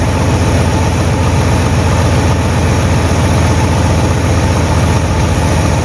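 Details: 1958 Super engine at steady low idle on first start, untuned with unknown timing, temperature creeping up; loud puffing tick at every firing pulse from several exhaust leaks in a trashed exhaust system; heat riser flap on the manifold also rattling.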